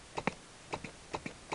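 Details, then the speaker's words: Animatronic figure's amplifier turned all the way up with no input signal: quiet background broken by sharp paired pops about every 0.4 s. The mouth solenoid's interference is getting through the speaker occasionally. "every once in a while you get a pop coming through the speaker"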